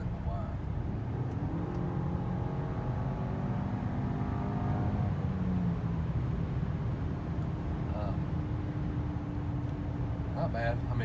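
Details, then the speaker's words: 2012 Audi A4 in sport mode accelerating hard on the road: engine pulls with a whistle-like turbo whine plus a supercharger-like whine rising in pitch with revs; normal turbo whine. "It has you can hear the turbo quite a bit, but it also has like a supercharger whine. So I don't know which one I like more. It is very interesting the way it sounds, but I think I would rather hear more turbo"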